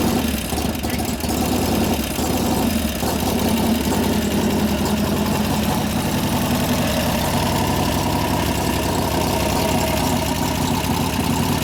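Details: 1988 Harley FXR big twin after lifter-noise repair (pushrod adjustment, cam change); catches and settles into steady even lope with no top-end ticking; normal idle.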